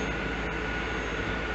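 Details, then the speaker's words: 1992-1996 Chevrolet Corvette C4 LT1 after power steering pump replacement and pulley reinstall: steady engine run with faint constant tones, no rising whine while the wheel is turned, whereas it used to whine as soon as turned on; normal power steering pump. "and turn it no winding anymore i used to whine soon as i turned it on"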